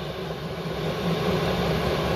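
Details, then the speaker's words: Chinese diesel air heater shortly after switch-on, climbing to full output (double red bars, running wide open): an even, smooth roar of fan and burner that swells as output rises, with no knocks or rattles. Normal running. "once this gets up to the double red bars she's running wide open"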